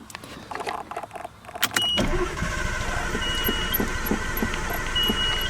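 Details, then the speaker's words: R32 Nissan Skyline that won't start after a 93-octane fill-up suspected to contain water; tank emptied and refilled. Steady cranking at about three turns a second never fires. Owner suspects the fuel pump. "Yeah, nothing. I got nothing. So, yeah, that's what's wrong with the SKYLINE."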